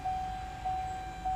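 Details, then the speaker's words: 2016+ Chevy Colorado/GMC Canyon 2.8L Duramax diesel after fuel filter change, key on engine off: steady mid-pitched whine swelling about every half second as pump primes filter; normal, though bleeder screw later found dripping. "the fuel filter is priming itself or the fuel pump is priming the filters you can still hear it"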